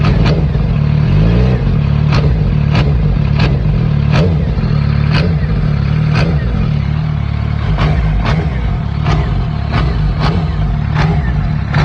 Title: 2006 Gsxr 600 only makes this clacking / knocking noise when I blip the throttle HELPPPP